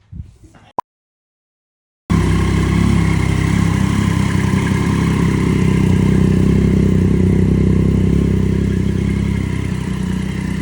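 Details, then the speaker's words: Triumph Daytona 675 rebuild after a wreck, first start in 3 months, new mid pipe fitted but muffler left off (straight pipe): silence, then it fires into a loud, steady, deep open-pipe drone; runs clean and even. "I want to start it without the muffler. It's just tradition. When you do exhaust, when you take an exhaust off, you gotta start it straight piped, right?"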